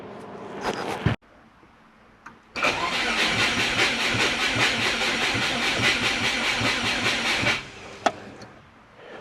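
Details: Subaru Forester (Haltech ECU) cranks with steady starter churning for about five seconds but never fires. Coils, cam and crank signals and timing check out, while the plugs are wet and the voltage is low at about 11.3-11.5 V; cause not yet confirmed.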